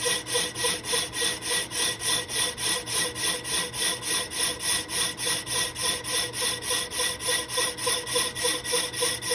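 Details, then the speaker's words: Lathe resurfacing an old Willys Jeep clutch pressure plate, with faster power feed and vise strip added: rhythmic scraping pulses about three and a half per second with harsh high ringing each pass; tool still chattering badly. "anyway tough to tell if that's chatter or if that's just sound from it cleaning up the existing chatter find out in just a second here yeah still chattered quite a bit"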